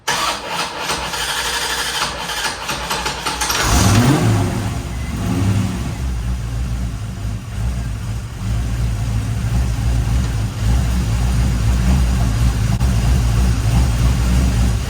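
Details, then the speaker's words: 1989 Corvette C4 that sat for years, with a loose distributor and timing off, before timing was set to 10 degrees. Cranks about four seconds before catching, then a hunting, uneven low idle that struggles to stay lit: hard starting. "All right, see if it will start up here because I'm not exactly sure. Try it again. Try to keep it running if you can."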